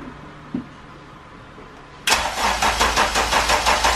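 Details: Honda K20-engined sedan after a new thermostat housing, sat unused, first start after priming the fuel pump twice: quiet at first, then a sharp catch into an even pulsing idle at about three beats a second; starts cleanly and settles normally.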